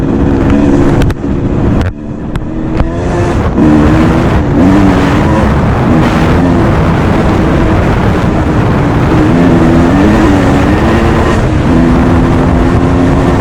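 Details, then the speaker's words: Restored 1989 Suzuki RMX 250 two-stroke dirt bike with a new, correctly jetted carburetor, on its first off-road ride: crisp note rising and falling with throttle, clean and even with no misses; healthy running. "So like I say, it runs really good, sounds good, suspension feels good."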